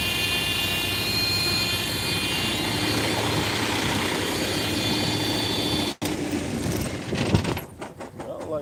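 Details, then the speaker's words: Idling truck with an 1845 trailer at the shop for an air leak somewhere at the rear, rear brakes also thought to need adjusting: a constant loud hiss of escaping air that cuts off abruptly. Air brake leak. "don't like that sound. I almost got an air leak. Well, I do got an air leak."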